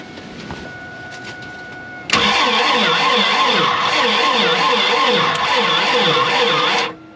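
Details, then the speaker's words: 1987 GMC Jimmy (K5 Blazer) diesel: slow, uneven cranking under two turns a second that never fires; owner suspects a weak battery charge and possibly at least one dead cylinder. "okay I'm not a diesel technician but that is not spinning very fast maybe the battery is doesn't have a great charge"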